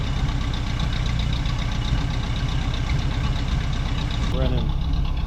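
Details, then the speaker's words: 1967 Camaro V8 after 6 years of neglect: deep, lumpy idle that hunts and stumbles instead of settling. Edelbrock pump pressure suspected, two glass fuel filters fitted; rough idle from a dirty carburetor, to be rebuilt. "pretty funky. Red is good. And the idle th messed up"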